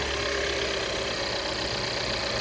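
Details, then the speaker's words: 2015 Volvo XC60, in for a battery issue, timing belt with dry-rot cracks at 60,000 miles, just started: fires right up, smooth even idle with steady whir, no misses, knocks or belt chatter; sounds good. "See if she'll start up. Whew, fire right up. She sounds good."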